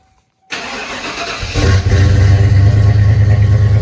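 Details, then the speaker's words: 1996 Ford Bronco, first cold start after sitting all winter, battery reconnected: cranks briefly, catches within a second and settles to an even steady idle without stumbling; healthy cold start with fuel pressure. "All right, fire that old Larry up, you know, winter cold a winter long cold start. Definitely got uh fuel pressure."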